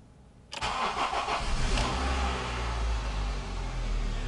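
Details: Honda Civic with 270,009 km, started after sitting over a month and a half with battery revived: quick crank, catches at once and settles to a steady, even idle; oil light only came on late.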